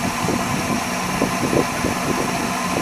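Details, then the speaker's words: 1978 Dodge Warlock truck V8 with dual carburetors, restarted after work: steady, even idle with smooth rumble, no knocks, ticks or stumbles; runs well, but throttle hangs up slightly, needing choke adjustment and a stronger carburetor return spring. "Sounds really good. Alright, just need a little more return spring."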